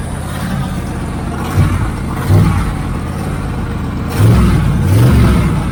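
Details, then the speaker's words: 1980 Camaro Z28 V8 just started on a new knock-off Holley four-barrel carburetor; fast, slightly uneven idle with throttle blips, idle speed set too high. "Okay, let me let it run for a minute and uh see if I get that idle down a little bit lower cuz I I can have it putting it in gear and having it move real Fast."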